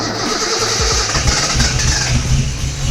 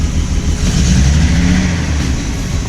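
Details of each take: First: Cold car on first start, idle not yet readjusted after setting ignition timing: sluggish starter at about four beats a second before the engine catches and revs; slow cranking, battery a little dead per owner, needs warming up. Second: Engine after the idle screw was turned a bit more: deep, steady rumble with an even beat and no stumbling or missing; idles smooth and healthy.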